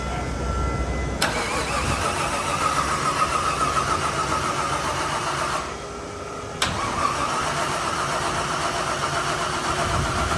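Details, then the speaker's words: Body-swapped Jeep engine restarted after a sudden clack, oil pressure being checked: loose, uneven clacking over the running note that keeps pace with engine speed, sounds rotational, cause not yet found. "what noise is that um de sounds rotational yeah I would agree sounds very rotational"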